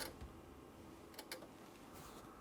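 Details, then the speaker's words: Sherwood RV-6030R A/V receiver under repair with a 1 kHz signal on the CD input: faint, irregular sharp clicks like a small relay or arcing behind the front panel. "there is some sort of arcing coming from the inside of the unit what is that huh there's like a small relay clicking coming from the back of the front panel"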